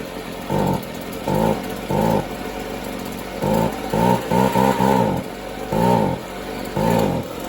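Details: Free Stihl leaf blower two-stroke after resealing with a crush washer: blips in short, uneven bursts rising and falling over a rough idle; not running smoothly.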